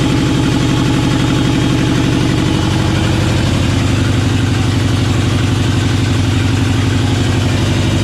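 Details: LS-swapped GMC K10 truck at idle; loud lumpy loping V8 beat with dropped pulses, not firing on cylinders 2, 3, 5 and 8 per owner; misfire suspected as dead cylinder, cause unknown.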